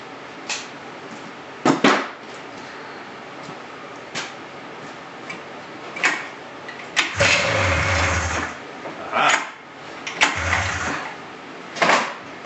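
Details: 1999 Polaris RMK 500 snowmobile after rebuilt cylinder block install, fuel down plugs, filter not filling from tank: repeated cranking bursts with brief sputters that die at once; cranks but won't start, owner suspects fuel pump or pickup.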